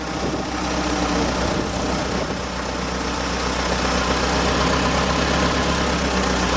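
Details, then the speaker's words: Old petrol engine, first start via starter button: steady low rumble holding idle with no knock or miss; runs but smokes, idle goes up and down, needs tinkering. "I was trying to drive goes up and down and runs so yep I need a little tinkering but well I guess that was too easy"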